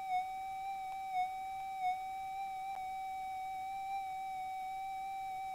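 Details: Minelab GPX metal detector after auto-calibration, during ground balance with coil raised and lowered: steady mid-pitched hum holds level with faint brief wobbles — stable threshold tone, detector balanced.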